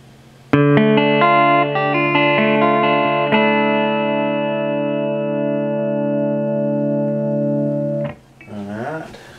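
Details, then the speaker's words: Peavey Classic 50 410 (3×12AX7, 4×EL84, 50 W) after repair of broken pot and new knobs, clean channel, EQ about noon, no reverb: clear, full guitar chords with no hum, crackle or dropouts; amp healthy. "so here's how it sounds this is a clean channel with all the EQ about noon with no reverb"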